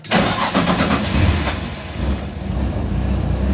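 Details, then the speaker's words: Nissan 300ZX Z32 with junkyard stock KA24DE swap, Garrett G30-660 turbo, Artec manifold, distilled water in cooling system: first start after build, starter catches quickly, engine fires and settles into smooth, even low idle, no misses or knocks; healthy. "I guess there's not too much to really starting a Nissan especially a '90s Nissan sounds so good I forgot how good RV sounds"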